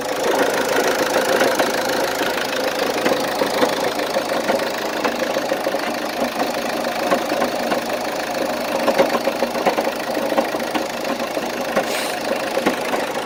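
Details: 2006 Opel Zafira 1.9 CDTI 120 hp diesel at idle: busy rapid clatter and sharp ticking over a mid-pitched drone, steady throughout; owner cannot locate the source, cause unconfirmed.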